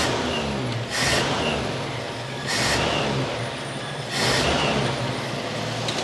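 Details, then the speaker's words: 1969 Chevy C10 half-ton long bed six, freshly revived, running on hose water in coolant; steady even low note with some airy hisses, no knocks or misses; alternator hums, meter shows 13.9 V charging; normal running. "Look at that. Runs good. The alternator sounds like it's humming, but it ain't showing nothing on the gauge. Uh, let me get a meter on it. >> 139. She's charging. >> That's one sweet running truck."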